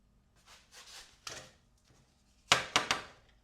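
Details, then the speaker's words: 1987 Yamaha FZ700 revived from long sitting, switches cleaned with contact cleaner: a few sharp dry clicks in a quiet room; right turn signal flasher now working normally. "Oh, I hear it clicking. Oh, yeah. Right turn signals are working."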